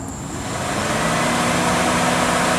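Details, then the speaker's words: 2006 Impala, fan one off and fan two kept on by an OBDII app active test, holding while the tool-present message is sent: even rushing air swelling up with a faint low hum; electric cooling fan running normally. "if you might have heard fan one went off the fan two stayed on and then of course i can shut them off"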